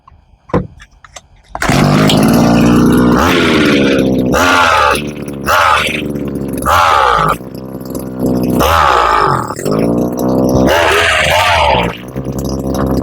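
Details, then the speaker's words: Gardenline green hedge trimmer, small two-stroke: pulls a revving whine, then repeatedly drops and sags in pitch instead of holding speed; bogging down under throttle, not running properly. Cause suspected, not confirmed. "Oh, it bugged down. It bugged down. I think it's actually not running properly."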